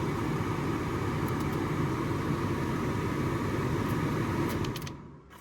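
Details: Nissan Note automatic, original heater blower motor refitted after the new one hit its fins and cracked a plug: steady airflow rush and smooth motor hum, no knocking or rubbing, then winds down; working again.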